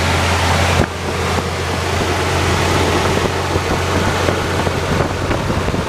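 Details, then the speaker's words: 1976 Chevrolet C20 with a 454 V8, idling after valve cover gasket replacement during a leak check: steady, low, even rumble with no knocks or ticks under some wind noise. Normal idle. "It's back together. And we're going to fire it up and check for leaks."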